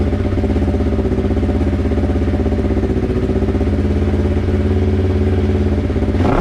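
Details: Polaris RZR 1000XP twin-cylinder with newly fitted Flowmaster XDR dual exhaust: deep even exhaust burble, revving smoothly and settling cleanly, no misses or knocks; normal revving.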